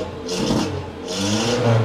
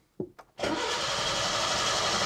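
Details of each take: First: Datsun 120Y after draining old fuel and ultrasonic-cleaning the carburetor: two quick throttle blips, engine picks up cleanly and drops back smoothly, revving almost perfectly; still very hard to start, weak spark, ignition system suspected as main problem. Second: Datsun 120Y after carburettor ultrasonic cleaning and old fuel drained, choke out: starter churns engine about four pulses a second for eight seconds without catching; fuel not yet pulled from rear tank to carburettor.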